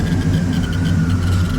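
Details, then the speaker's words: Truck, battery 11.4–11.8 V at rest and about 14 V charging, engine started; steady low rumble with thin constant whine, a disturbance with gauge reading bouncing between 0 and 52; cause not identified. "First off, there's some sort of disturbance that makes this sound, and you can see this is flopping everywhere."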